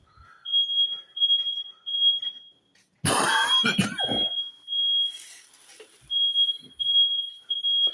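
High-pitched chirps repeat in short, uneven bursts with a cough and rustle in the middle; the hallway smoke alarm is going off. Cause suspected, not confirmed.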